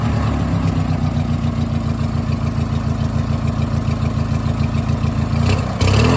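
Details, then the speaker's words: 18 hp Briggs & Stratton opposed twin after fitting a custom exhaust, runs better than before. Deep, even low thump at a steady pace with a mellow exhaust note; smooth, healthy running. "And here's what it sounds like now. That sounds awesome."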